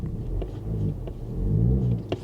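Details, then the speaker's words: Square-body Chevy, warm after running fine, restarted: slow to start, then low uneven rumble swells and sags as RPM jumps around and bogs, clearing up then worsening; rough surging idle, owner suspects a fuel system problem. "Takes a while to start, doesn't it? And then it runs like crap. Here it goes, running like crap again. Oh, it's running bad. Look at that RPM jumping around."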